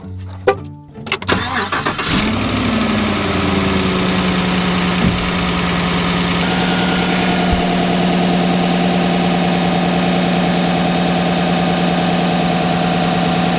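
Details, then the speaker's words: Truck, cold morning start: cranks, catches and settles into a loud raspy fast idle, louder than normal when cold and gone once warm; suspected passenger-side exhaust manifold gasket leak, not confirmed. "I believe it's down on this side, passenger side, because sometimes in the mornings it sounds a little louder than normal, and then when it heats up it goes away. So to me it sounds like a gasket."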